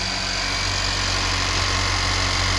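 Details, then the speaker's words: 2018 Honda Civic Si 1.5L turbo after new fuel injectors were installed; it used to idle very shakily and the injectors were likely clogged. Even, steady idle with no stumble and a faint high hiss: normal idle. "Now it's solid. A good indication that fuel injectors are probably clogged."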